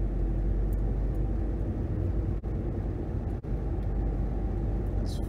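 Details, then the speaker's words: 2011 Nissan Rogue FWD after replacing wheel hub bearing assemblies and brakes, accelerating through 30–40 mph; steady low road rumble with no growl, hum or whine rising with speed, and no vibration; front bearings healthy. "All right, so some observations. I do not feel any vibration in the pedal or in the steering wheel."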